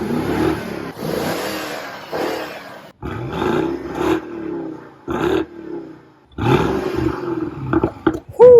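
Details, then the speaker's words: Warm BMW 650i N63TU V8 revved in short bursts with a pop or two, dropping back cleanly; quiet, sounds healthy, nothing abnormal. "yeah the car was warm sounds pretty good i should say not as m6 but still 650 quiet but you you hear that v8 engine"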